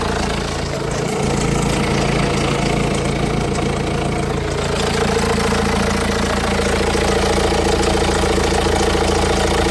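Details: 2007 BMW 118d diesel, 115,000 miles, full service history, idling with steady clatter about two beats a second over the rumble and cover shaking; owner suspects timing chain noise, cause not confirmed.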